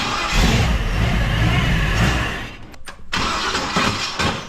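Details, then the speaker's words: V8-swapped mini truck on a temporary exhaust, first start attempt: rough cranking catches, fires for about a second, dips out, then tries again. The start is unreliable; the owner suspects the starter was damaged when a bolt fell out and it twisted. "start go team it ran sort of for a minute for a second"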